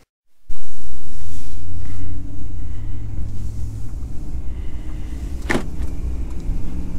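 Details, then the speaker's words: 2017 Ram 2500HD after replacing the TIPM to cure a parasitic battery drain: steady, even low rumble after a brief louder start, no stumbles, clicks or odd noises; engine idling smoothly and healthy, no dash warnings. "seems to be running well i don't see any issues with it"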